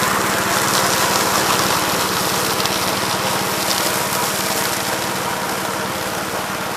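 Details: 1969 Gravely C8 walk-behind tractor after repair of no-high-range fault (drove only in low range, stop-and-go in high); morning start-up, single-cylinder runs steady and even at quick consistent beat, no knocks or misses; running normally.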